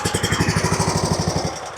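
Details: RedMax zero-turn mower Kawasaki V-twin with one spark plug lead pulled: uneven firing that sags and fades, hunting persists whichever cylinder runs. Before plug inspection and compression tests; surging from a carburetor out of tune.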